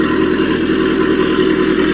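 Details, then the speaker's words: Mitsubishi Airtrek Turbo R replacement turbo four-cylinder engine, 85,000 km, from a half-cut, test-run off a temporary fuel tank before purchase. Starts well and runs steady with no major vibration, good compression, no smoke; revs rise cleanly. Normal running. "running off this fuel tank no major vibrations nice compression no smoke coming out let's rev it a little bit upm goes up and okay engine sounds good everything spinning well vibration is good"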